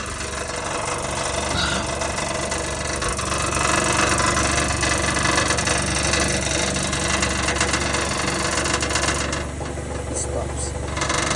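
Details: 2017 Nissan Versa idling in drive: fast buzzing rattle underneath, about four beats a second, from a loosely bolted underbody panel.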